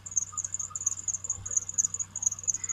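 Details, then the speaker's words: Chevy Tracker before idler and tensioner pulley replacement: a rapid high-pitched chirping squeak repeats nonstop over a faint engine hum. It is very loud all the time and gets louder, typical of a worn tensioner pulley bearing. "Let me, though, show you what kind of sound this thing is making. It just drives me nuts. So there you go. That's the sound of her. Oh, it's just very loud and all the time."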